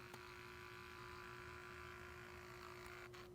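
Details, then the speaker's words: Camera lens after a repair, now extending properly: thin, steady whirring tone throughout zoom in and out; lens drive noisy since the fix, cause unknown. "Anyway, when you zoom in and out, it does that noise."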